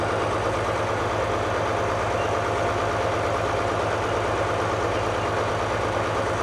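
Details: 1939 Allis Chalmers HD14 bulldozer with 6-71 diesel, running after sitting several years: deep, steady idle with even low throb, no knocks or misses; normal smooth idle.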